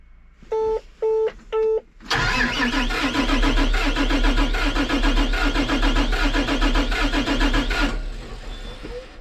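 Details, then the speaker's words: John Deere 8235R tractor diesel, near operating temperature, cranking: about two beats per second with uneven, lopsided rhythm; number 4 cylinder main problem, low compression suspected despite inconsistent relative compression test readings. "We definitely know it's, you know, number 4 is the main problem. I'd like to just see, I know it's got to have low compression. You can hear it."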